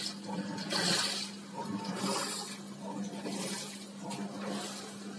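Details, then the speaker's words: Washing machine spin dryer after cleaning and servicing: steady low hum under soft swishing water and air, no knocking or scraping; smooth, nearly silent like new, normal spin. "sudah halus suaranya Udah halus nyaris tak terdengar kayak mesin baru"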